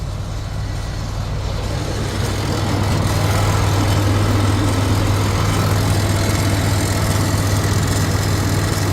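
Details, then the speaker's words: 2016 Freightliner Cascadia diesel, after fixing a no-power/no-start with batteries reading 13.4–13.5 V: deep, steady idle rumble with an even beat and no misses or knocks; normal idle. "let's see if it's going to start we switch it to the on position all right we can hear okay I had this already on but it's working all right so that was the problem"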